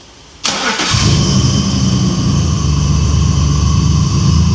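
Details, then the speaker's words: BMW E34, 300k+ miles, solid compression, after removing moisture from the distributor cap: catches after cranking into an uneven, lumpy, wavering idle; rough running, somewhat better but not right. "Okay. It's running better, but >> At least we got her running so we can move her around."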